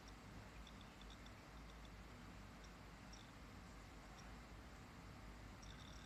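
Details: Lenovo IdeaPad 320-14IKB laptop with Seagate ST1000LM035-1RK172 1 TB hard disk: faint, sharp high ticks at irregular moments over quiet hiss; hard disk clicking and rattling, cause not known.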